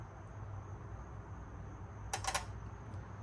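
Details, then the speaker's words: Fuel injector bench-tested with 12 volts from a battery maintainer: quick burst of crisp clicks when power is touched on, injector opening normally; injectors good, so a connection issue is suspected; normal injector click. "And as you can hear that, it works. So that one works. And this one works. So we know the fuel injectors are good."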